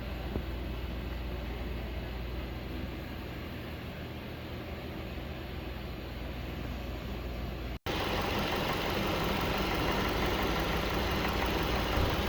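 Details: Engine after replacing water pump and belts to cure a grinding noise: steady, even idle with smooth low hum and no grinding or rattles; sounds healthy.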